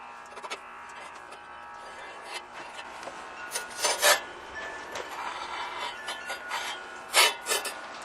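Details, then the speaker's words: TruCut reel mower during lapping with gritty compound applied liberally to each blade, reel turned backward: irregular dry rasping and scraping bursts as the blades grind against the bed knife. "can hear it start to grind already from the blades making their rotation"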